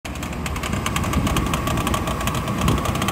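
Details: 24-year-old Chevrolet Astro camper van idling with air conditioning on: quick light clatter about six taps a second from the belt area; worn fan belt tensioner or idler pulley, replaced.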